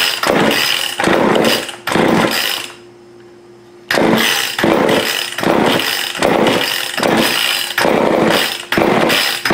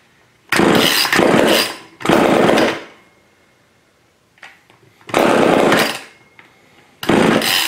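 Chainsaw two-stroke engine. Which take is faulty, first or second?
second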